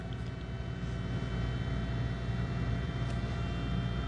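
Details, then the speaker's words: Braun Series 9 PRO+ shaver 6-in-1 cleaning base at end of self-clean: small drying fan whirs steadily with a constant thin tone, no rattle or wobble, drying the razor head normally. "Then you'll hear it kicks a little fan on. It's going to dry that shower or that razor head when it's all done."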